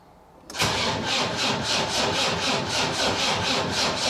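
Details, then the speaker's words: Land Rover Defender 300 TDI diesel, first start after swap to lower-mileage engine with new timing gear and belt: glow plugs on, starter churns slowly at four beats a second with good compression but never fires; fuel not yet primed. "Right, we need to get some diesel up. Uh that needs pumping. Now, I'll pump some more diesel up and I'll give it another go. Sounds a bit slow on the starter, but it sounds like it's got good compression."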